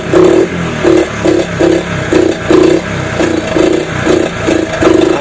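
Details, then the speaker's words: 1983 Honda ATC 70 after sitting over 10 years, carb rebuilt, side cover off, running carb out of gas: revs in uneven surges about every half second, blipping up and falling back; owner plans to run Seafoam through the carb, motor otherwise quiet. "probably going to have to run some seao through the carb probably going to have to run some seafoam through the carb"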